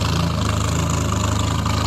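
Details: 1975 Triumph Spitfire after smog removal, valve adjustment, timing set by ear, air box off: warm, fairly even putter with occasional soft stumble; slight miss, owner suspects carburetion, carburetor rebuild pending. Idle miss.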